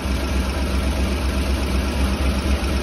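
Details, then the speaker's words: Engine idling, chugging and bucking in gear with strong exhaust smell: deep uneven chugging puff with exhaust escaping at a leaking flange on one side, felt by hand; catalytic converters still fitted. "the one thing that I immediately hear is an exhaust leak on this side that's pretty bad here picking our guests coming from right there I can feel exhaust coming right out of that flange"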